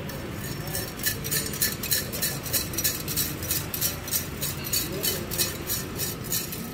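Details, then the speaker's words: Toyota Corolla exhaust at idle with the check-engine light on and an O2 sensor code: fast metallic clinking, about three per second, rattles over a steady idle rumble. The catalytic converter's ceramic substrate has broken up and its pieces are loose inside the exhaust. "Catalisador do Corolla, moçada. Quebrou. Faz o barulho aqui, Tina, pra nós ver. Olha o barulho que tá, moçada, do escapamento, ó."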